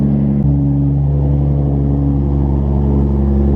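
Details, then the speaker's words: Toyota Supra on an AIM Infinity ECU, cold start after the fuel pump primes, with good air-fuel ratios right away: it settles into a smooth, steady idle with an even low rumble and no knocks or misses; normal idle. "Woo. She sounds healthy, boy. Good cold start every time."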